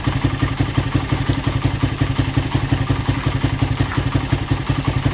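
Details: Suzuki Satria FU after repair for lost compression blamed on badly leaking valve seals; steady, even idle with firm regular thumps, no ticking or knocking; normal idle.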